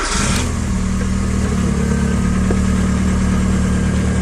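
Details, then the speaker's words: 2002 VW Jetta 2.0 turbo with a built engine, after the failed Deatschwerks 65 fuel pump, which had rattled and lost pressure, was swapped out. There is a steady hum from the rear and a smooth, even idle with no leaks, so the idle is normal. "it's so much smoother that's crazy so no leaks steady hum coming from back here sounds good sounds smooth"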